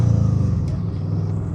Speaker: I'm barely in third gear and look how loud this thing sounds. We're only at 2,500 RPMs and look what it sounds like. Like that shouldn't happen.